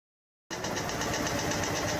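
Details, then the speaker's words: Cadillac Escalade with 6.2 L engine, under five years old: metallic rattling knock ticking rapidly and steadily over the idle; the cause is not identified. "This is insane. How? How is it sounding like this? This is a new vehicle. It ain't been out 5 years."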